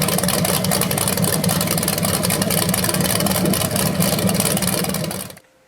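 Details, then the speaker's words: BluePrint 396 crate V8, for a 1970 Camaro SS, first run: deep, lumpy rumble holds a steady pulse about five seconds then cuts off cleanly, no knocks or ticks, no leaks; flywheel sounds slightly different when revved. "First run of the engine. It sounded good. I don't see anything leaking."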